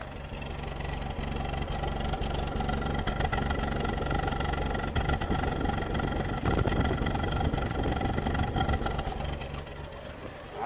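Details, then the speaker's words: 2011 Ford Ka 1.2 petrol idling with a slightly lumpy, uneven beat: a possible mild misfire; code P0203 found, an injector circuit fault. "do kind of agree that he might be a misfiring but it doesn't sound like a bad misfiring something really weird"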